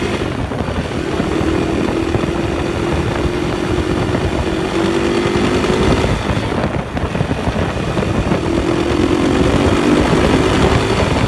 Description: KTM 560 SMR started making juddery noise and feel. no longer pulls smooth and hard. you can hear the noise when i accelerate.